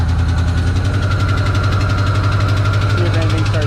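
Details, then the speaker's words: 1993 Ford Bronco, first start after installing new transmission cooler lines, jump-started: steady V8 idle with a light, fast tick keeping time with the engine; noisy hydraulic lifter ticking, and an idle issue thought fixed persists. "oh you guys can really hear that lifter tickin these ones look alright"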